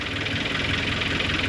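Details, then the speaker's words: G23BK boosted engine at first start after fabrication: fast, uneven pulsing idle with a rattly, raspy edge and a wobble in the beat. Owner suspects air in the system. "all right God the idle is a little bit rough I think it's because of maybe there's uh again uh air in the system maybe"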